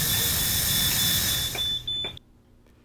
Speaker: for propane it's a constant beeping and flashing red LED hit the test mute button to quiet the alarm